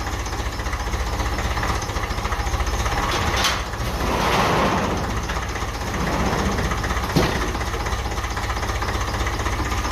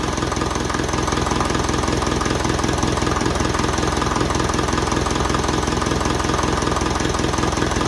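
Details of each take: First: 1955 Ferguson 20 TEF diesel tractor, first start after fuel system work and bleeding injectors with valve decompressor; settles into an even chug with loud breathy suction from the intake because the air filter is removed. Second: 1955 Ferguson TE20 (TEF) diesel tractor after fuel system work and bleeding, air filter off: even diesel clatter at about 160 beats a minute, steady with no misfire, rattles or vibrations. Normal idle.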